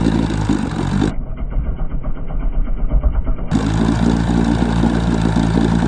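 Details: 1966 Evinrude 6 hp Fisherman outboard, scrapyard find formerly seized, on choke: running at a few hundred firings a minute with an uneven, stumbling beat and occasional sneeze; owner suspects it runs lean, cause unconfirmed.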